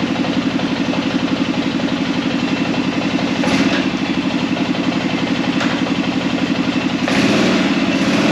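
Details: Arctic Cat Prowler engine just rebuilt with new pots (cylinders), first start after priming the carb: even, steady idle around four beats a second, no knocks or misses; running smoothly while air in the system still needs bleeding.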